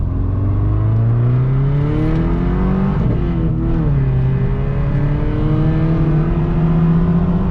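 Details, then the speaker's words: $100 daily-driven Subaru Impreza: loud raspy exhaust on hard pulls with rough shudder on take-up, clutch chatter attributed to a flywheel that is not straight. "Alright, I'm going to try to do this one-handed here. Flywheel's not very straight either, so it kind of likes to chatter."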